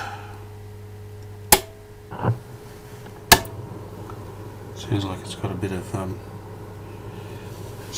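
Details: AWA 509M 'Egg Crate' valve radio, powered up to about 200 volts during repair: steady low mains hum with sharp random crackles and pops, no station received. Crackle source not confirmed.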